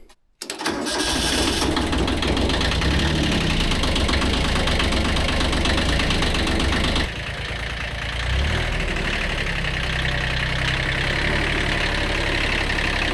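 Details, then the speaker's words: Rebuilt Kubota B7100 tractor diesel after replacing chewed-up gearbox gears and bearings: cranks, catches within a second and settles into an even idle with no whine or grinding from the gearbox; the earlier noise is gone. "gone that's way better no more noises"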